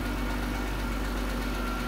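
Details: Chrysler after TIPM fuel pump relay bypass fix for failed pump check valve, idling smooth and even with a steady low hum, no knocks or stumbles; healthy.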